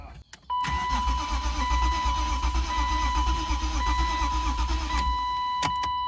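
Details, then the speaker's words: 1993 BMW E36 M3 abandoned and sitting a long time, with debris in the cylinders: starter spins steadily about five seconds with a lumpy uneven beat and no firing; engine not seized, low compression on about two cylinders, uneven compression while cranking. "Yeah, the compression's going to sound funky cuz it's been sitting so long, but it ain't locked up, which is all I care about."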